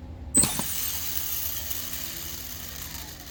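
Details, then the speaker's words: E-flite A10 64mm EDF fan motor, suspected bad over a noise issue: quick spin-up then even airy rush with no rattle or rough pulsing; sounds like a good motor, normal run. "Suspected bad. Sounds like a good motor."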